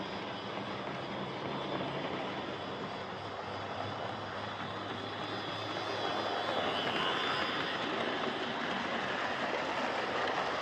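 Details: Hornby Dublo R1 0-6-0 tank engine model locomotive, possibly about 60 years old and well run with brushes worn right down, running on the layout: loud, steady whirring grind rising slightly with speed; loud gear noise from the old Dublo motor.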